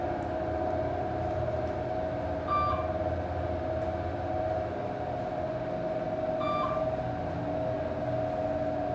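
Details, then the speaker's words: 1980s Dover traditional traction elevator, 200 fpm, 2500 lb capacity, recorded inside the car while travelling: steady low drone with mid-tone whine throughout; loud, rough-sounding hoist motor, cause unknown. "Basement's burned out. That motor sounds horrible. Bump, we'll go back down to 1. And I found basic fake wood grain cabinet. Let's listen to this motor."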